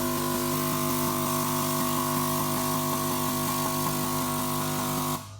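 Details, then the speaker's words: Key Technology VitiSort ejector-valve test after the unplugged valve is reconnected; steady hum with a quick, even run of light clicks through all 128 valves, stopping cleanly; every valve fires, all working. "So, this is a good quick way to test to make sure that all 128 valves are working before you start sorting."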